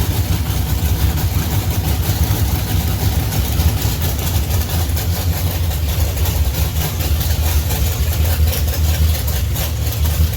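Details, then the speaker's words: 1971 Plymouth Duster racecar, 528 big-block Mopar on alcohol, Powerglide, in garage after sitting 3 years: deep loud lumpy rumble holding steady and even, no knocks or misses; healthy idle. "yeah if you've never sat in a car it runs on alcohol with the doors off in a garage Jesus yeah he just ran outside no no if you see if you want sticking around for that sounds good runs good"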